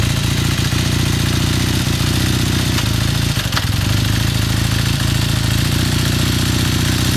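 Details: 1981 Kawasaki KZ440 twin during warm-up idle: fast, even clatter riding over the exhaust beat; knocking noise, cause unclear.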